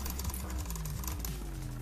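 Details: Mountain bike front derailleur after cable tension was set with the barrel adjuster to stop the parallelogram rubbing the chain: a light, even chain whir with fine ticking and no rub. The derailleur runs clean.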